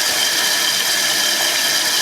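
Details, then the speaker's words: Toilet tank refilling after a newly replaced fill valve, fitted to fix a constantly running toilet, during a leak check; the float is later found set about 1 inch low. A steady, unbroken hiss with no sputter or chatter. Normal tank refill. "And check to see if any new water shows up. So it'll take a minute to fill up here."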